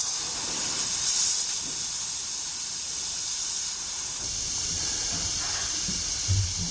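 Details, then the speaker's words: Air Lift Load Controller II compressor system for air helper springs on a 2013 Ford F-150, releasing about 45 psi via the pressure release valve; strong steady hiss for several seconds without sputter; normal air spring deflation. "so what i'm going to do is i'm going to go ahead and release the pressure there's about 45 psi in there now i'm going to go ahead and release the pressure"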